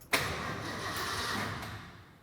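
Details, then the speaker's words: 1972 Ford F-100 V8, sat about 10 years, first crank after fitting a battery: about two seconds of brisk, even starter cranking that spins freely but never fires; engine turns fine but no fuel yet. "all right we gotta add fuel i think we might be able to try to start it up"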